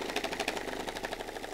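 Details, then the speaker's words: Cheap Captain America-branded budget massage gun turned up toward its top of 20 levels: fast buzzing pulses with loose plastic chatter over the motor, like the battery rattling inside the cheap housing; rattle. "yeah even that is like rattling the crap out of the battery yeah do you hear that"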